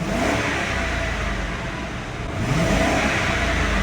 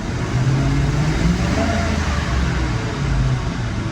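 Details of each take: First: 2003 Mercury Grand Marquis 4.6L V8, previously rough-running and stalling at 14 psi fuel pressure, after replacing the in-tank fuel pump leaking through a holed hose: it revs cleanly and evenly with no stumble, at 35–40 psi. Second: 2003 Mercury Grand Marquis 4.6L V8, fuel pump and plugs already replaced: long crank, slight misfire, then deep uneven rumble bogging on acceleration with back pops; fuel pressure below 20 psi (14 psi), fuel starvation, pump leaking inside tank.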